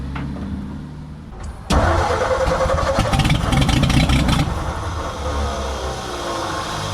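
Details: 1957 Ford F100 being revived, on homemade spark plugs and with the choke off: the starter turns the engine fast and steady with firing chuffs, but it never catches and runs; the owner thinks the choke should have been on.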